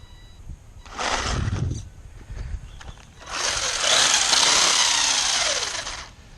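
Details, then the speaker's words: Sports Drift GS1002 RC car run hard at the park: harsh rapid clicking chatter, about four clicks a second, over motor whine under load, with power loss; damage apparently at the rear diff. "ooh well that's definitely not sounding good"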